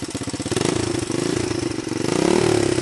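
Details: 125 XLS engine with single thumps among fast, slightly irregular firing pulses that rise as it is blipped; abnormal engine noise, cause unclear.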